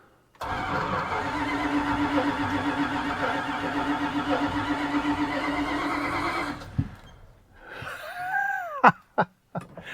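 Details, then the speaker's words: 1976 Dodge D100 Club Cab Adventurer, parked 13 years: weak battery lets the starter drag the V8 over slowly and unevenly for about six seconds without catching; the clutch is also not working. Slow cranking. "Hope that starter's strong. Battery ain't very strong."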